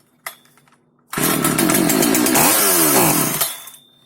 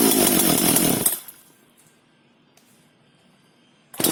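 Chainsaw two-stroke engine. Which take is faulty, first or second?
first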